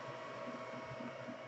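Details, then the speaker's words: Anycubic Chiron 3D printer after TMC2208 SpreadCycle modification on the Y-axis bed driver, bracing installed: only a soft even hum with faint rhythmic swishes from the moving bed, no loud stepper whine; quiet operation. "Now you also know from my, just before this, I did the 228 Spreadcycle modification for the Y axis on the bed. And as you can hear, it's quiet."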